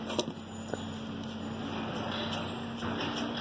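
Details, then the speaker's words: Honda City gearbox removed during a clutch replacement: the worn clutch release bearing makes a steady rough, roaring hum with a few handling clicks. A new release bearing is to be fitted. "um barulhão feio aqui roncando. Vai pôr o colar novo, né?"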